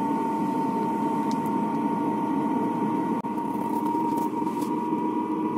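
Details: Chinese diesel air heater (Webasto-type) with exhaust silencer in a van/camper, just started, display still 16-17 °C: constant airy rush with steady mid-pitched whine, blower at full and fuel pump running; no exhaust smoke, normal operation.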